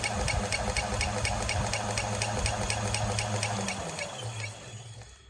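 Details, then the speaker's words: Hub motor that used to squeak when rolled now has a quick even knock about three per second over the motor hum, fading as the wheel slows and worse in second speed. The owner suspects a warped brake disc. "Сейчас появился вот такой стук. Вот. Если брать большую скорость, вторую, то стук еще больше становится."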